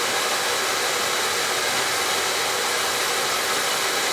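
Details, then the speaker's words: Newly replaced oil boiler, safety control jumped out so the burner won't shut off while the pump bleeds air from the overhead line; steady even roar of burner fan and pump, never cycling, normal run while bleeding. "Oh, you see how I jumped it out? It's not shutting off. It's getting all the air out."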